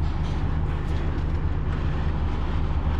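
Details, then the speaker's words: PTAC packaged terminal air conditioner on cooling after being secured with screws to stop vibration and loss of control: steady even low hum from compressor and fan, no rattle, much quieter; control pressure established, temperatures dropping; normal running. "okay started at 75 good we have control pressure just started temperatures are coming down it's much quieter after i put in the screws"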